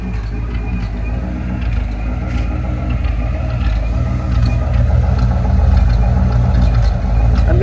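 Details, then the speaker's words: 1979 Ford F100 302 V8 with aftermarket carburetor, possible vacuum leaks, timing probably off: deep, uneven choppy idle about 850 rpm, drops to 570 in gear, sporadic; rough idle, tune-up planned. "So this is idling at about 850, and it's really like kind of choppy, and when I put it in gear it goes down to 570, but the idle's very sporadic."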